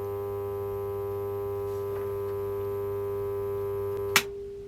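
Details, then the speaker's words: Cheap second-hand magnetic ballast driving a 400 W high pressure sodium lamp: loud, steady low buzz with a high ring, stopping sharply with a click; ballast looks almost new but is very noisy, gets hot and smells of burning varnish. "say that's why someone got rid of this cuz it's looks like it's new basically but it makes a hell of a lot of noise"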